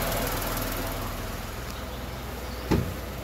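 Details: Tata Nexon 2020 BS6 XZA+ S petrol, idle with and without AC on: steady, even low hum that eases slightly partway through, likely AC compressor dropping out; normal idle.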